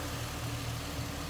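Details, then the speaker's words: 2007 Ford Mustang convertible idling with hood open at the engine bay: quiet, steady low even hum with no ticking, knocking or hunting; a smooth runner that sounds good. "underside of the hood and engine bay smooth Runner sounds good and again nicely equipped AC blown cold"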